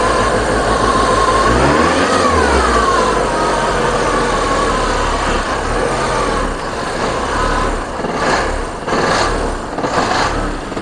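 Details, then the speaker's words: VW Passat B3 diesel, first start after revival with the glow plugs now heating, given a little throttle: lumpy, uneven running, speed surging and sagging toward stalling, with lots of air bubbles visible in the fuel lines starving it. "damy mu troszkę gazu on jeszcze ma kupę powietrza w wężach u belka bąbelków bardzo dużo idzie"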